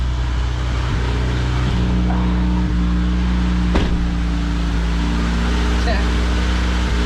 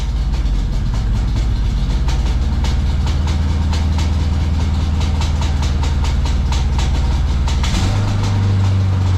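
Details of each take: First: High-mileage 1992 Honda Accord CB9 wagon, fully reassembled and now running on all four cylinders, coolant topped up, heat cycle before an oil drain; smooth, even low idle with a steady hum, no misses or ticks. Normal idle. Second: High-mileage 1992 Honda Accord CB9 wagon, timing belt redone after amateur misinstall, valve cover back on: rough, lumpy idle with uneven chuff and stumble, still misfiring, not running on all four; low compression on two cylinders, likely bent valve.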